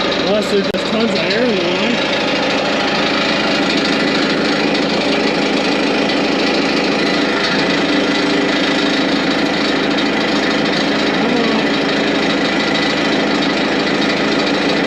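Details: Morbark 2400XL track chipper's 4BT diesel idling with the hydraulics not yet working: a steady, even clatter at constant pitch with no misses or knocks; it idles smoothly.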